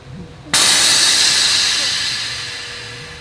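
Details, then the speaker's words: Newly installed Viper air suspension (front lift) venting its bags to lower the car: a sudden sharp rush of air tapering off over about three seconds; normal dump. "It's not gonna make fire. No, it's just air, buddy. It's not gonna do anything."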